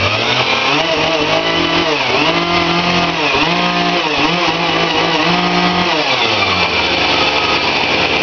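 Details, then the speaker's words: Chainsaw after its carburetor was taken apart and cleaned, no rebuild kit fitted yet: crisp two-stroke buzz picking up cleanly on each throttle blip and settling to an even idle; running normally. "Yeah, she's running like a champion."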